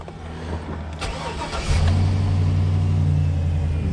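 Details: 2003 GMC Savana AWD 5.3L V8 that shut off intermittently while driving, after fuel pump replacement and priming: short crank, catches cleanly, settles into steady even idle; fix not yet confirmed.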